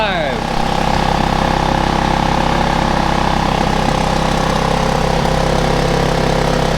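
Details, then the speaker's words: Several-years-old generator, serviced after sitting with a dead flat battery and no fuel, restarted on fresh fuel with choke: catches and settles into a steady, even hum with no knocks or misses; running marvelous. "that's alive ziggy good just marvelous"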